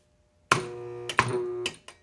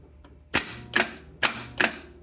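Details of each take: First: AC Delco 10MT starter (Chevy) bench-tested during rebuild with solenoid engaging the Bendix: short low electrical hum with a faint clunk at each power-up but no spin; shaft has excessive play, bushing bad, something seized inside, probably brushes or rear bushing (suspected). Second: Rebuilt Delco 10MT Chevy starter bench-tested with new solenoid kit and Bendix, charger on the S terminal: four sharp, crisp clicks about 0.4 s apart with no motor spin; solenoid throws the drive forward cleanly, as it should.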